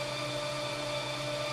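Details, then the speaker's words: 440 big block in a 1969 Plymouth Road Runner, freshly installed, cranking: steady even starter whir, no catches or grinding, building 25 psi oil pressure just cranking; normal cranking. "Poor starter. It built 25 pounds of oil pressure just cranking it."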